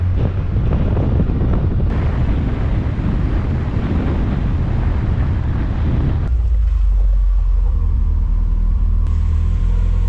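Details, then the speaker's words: Porsche with replacement Audi 2.0 engine after original dropped to two cylinders, new timing and alternator belts, valve clearances checked, front seal changed: fires and settles into even deep running note, no knocks or misses; runs healthy. "okay so around 5800 rpm later I think it's safe to say this thing runs for now"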